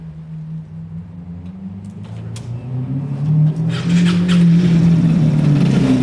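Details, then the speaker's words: Piaggio Fly scooter after a weird-noise fix: the small engine revs smoothly from low to a higher steady speed with no banging or knocks, and it runs normally. "it writing runs fine it's safe"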